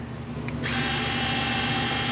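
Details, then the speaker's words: BMW K1200LT automatic center stand motor, key on with all three running lights lit, after a brake light flasher install and the fix to let the stand operate: quiet start, then a steady high electric whir that stays constant, the motor running normally. "Right now all three lights are on for running light, and what we should be hearing when I push this button right here, which is the kickstand, you should hear the motor run and the light not flash fast."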